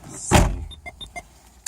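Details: 2000 Honda Accord EX power door locks cycling as an eBay remote key fob (KOBUTAH2T) is programmed: one firm clunk as the locks throw, then a few light clicks; locks respond normally to the remote.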